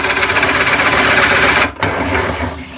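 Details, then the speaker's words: Smart drill press with Forstner bit, depth set to 10 mm, self-start on: beeping speeds up near the bottom, steady high motor whir, then sudden cut-out and reverse at set depth; depth stop working normally. "So as I'm going closer to the bottom of the hole, it will start to beep even faster. And now as I'm getting closer to the bottom, it will stop and reverse."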